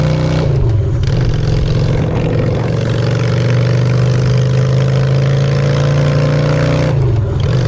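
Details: Honda Shadow V-twin after a custom makeover with custom exhaust, in neutral: a low, steady thump rises smoothly on each blip and drops cleanly back to idle, with no rattles. Normal idle and revs.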